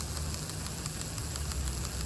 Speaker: but it's clicking click click click click click click click and that's because there's a plastic piece inside of the head that gets worn down and uh doesn't catch anymore and so it doesn't turn